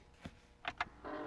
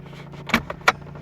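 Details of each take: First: 2010 Chevrolet Impala recirculation/blend door actuator behind glove box after codes (B0223) cleared: quiet electric motor whirs about 2.5 seconds, clicks, runs again; recirculates when not on defrost, normal actuator operation. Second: 2010 Chevrolet Impala, key on: sharp plastic clicks from behind the glove box over a low hum, the failing HVAC recirculation door actuator; fix is replacing the actuator.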